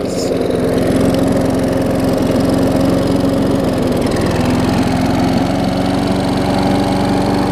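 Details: Old Murray 22-inch push mower, transplanted ~3.5 hp Briggs & Stratton, revived after years unused with new muffler: steady, even buzz at constant speed, no misses, surging or knocks; healthy.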